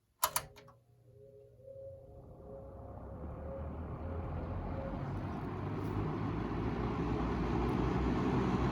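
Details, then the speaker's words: Wells Royal S-122 fan switched on low: a sharp click, then a smooth whoosh rising gradually as it spins up. Normal healthy startup. "well it's royal time here is low and it's got a cool startup zone too"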